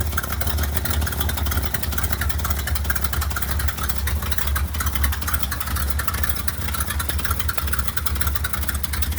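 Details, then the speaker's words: 1967 Ford F-600 dump truck with an electric fuel pump, running off the behind-seat tank, which has some trash in it. Deep, even idle rumble with no knocks or misses; it runs good and responsive. Normal idle. "it was running real good she's pretty good and responsive she just need to be rani"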